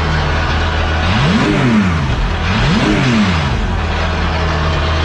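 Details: Porsche 911 GT3 Cup race car idling crisply with two sharp throttle blips that climb and drop back quickly; clean, free-revving, healthy race engine.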